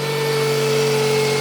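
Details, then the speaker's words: Car warming up at idle with HID headlights on and flickering: steady constant high-pitched whine over the idle. "can hear the whining too so that's what the mighty sea is doing that the headlights the HIDs are flickering and you can hear the whiny noise"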